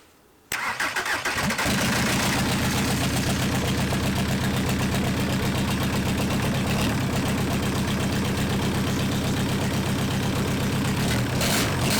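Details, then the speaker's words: Junkyard VW Caddy 1.9 SDI diesel, about 190,000 km, previously non-running, after bleeding fuel lines; cranks briefly, catches within a second, settles into steady even diesel idle clatter with no misses, runs fine. "oh my god we have an engine that runs actually that's awesome"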